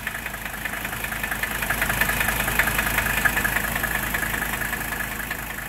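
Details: Mercedes W123 diesel started on an overnight-charged battery after a new alternator voltage regulator and brushes were fitted; steady even diesel clatter at idle, regular beat, no knocks or misses; normal diesel idle.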